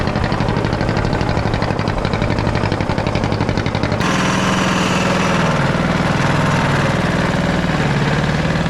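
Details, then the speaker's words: Caterpillar D8 2U crawler main diesel, first start in its revival after the pony motor was sorted; an even, rapid diesel clatter near four pulses a second that picks up smoothly, no knocks or misses. The motor sounds fantastic. Normal running. "Oh well, at least we know it goes. And the motor sounds fantastic."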